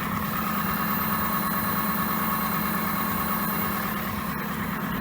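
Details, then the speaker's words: Gaia at 425,000 km just after fuel pump replacement, car stalling and jerking previously; even idle with thin steady whistling buzz from underneath; fuel pump whine. "И насос слышен. Представляете, как он жужжит, свистит, этот проказник? Оно исходит снизу. Определенно."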